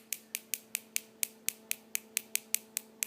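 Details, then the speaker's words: Homemade high-voltage box with bug-zapper driver, upgraded transistor, flyback and spark gap, arcing about half to three-quarter inch; sharp snaps about four per second over faint hum but arc stops intermittently, builder still debugging the circuitry. "stopped there's certain issues with this circuitry I don't know I'm trying to debug them"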